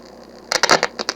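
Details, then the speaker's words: Early-1970s Automatic Radio PSR 2467 AM radio/8-track combo, tape playing: faint low hum, then irregular sharp crackles and pops through the speakers; owner suspects the amplifiers or a weak power supply. "seems there's a problem with the amplifiers in this thing all that noise we're hearing from the speakers is probably through the power supply"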